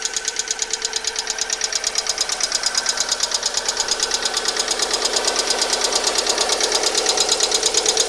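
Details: Alfa Romeo 147 1.6 Twin Spark 120HP: fast regular ticking about three per second over quiet idle, began after oil change with flush additive; oil change didn't help, replacing all 16 hydraulic lifters cured it after a 50-minute drive.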